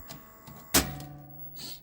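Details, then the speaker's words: Toshiba KV-4000 V-Cord VCR: a clunk, then a thin steady reel-motor squeal while the reels don't turn; the idler tire checks out, even after rubber renew, and the owner suspects the idler belt is slipping. "that's what that squealing's for but nothing's happening and like I said The Idler Tire does seem to check out"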